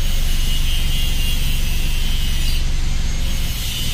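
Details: Chevy Optra idling with no throttle input: a low throb that surges up and down on its own, hunting unevenly and stalling; it also stalls when put in reverse. Suspected fuel pump or spark plug, not confirmed.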